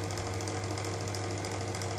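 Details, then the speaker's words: Arduino-controlled bathroom extractor fan switched on after its humidity setting was lowered below 71; low, steady hum with no rattle, wobble or pitch change; fan running smoothly and normally. "so i don't know if you can hear it but the phone is now running"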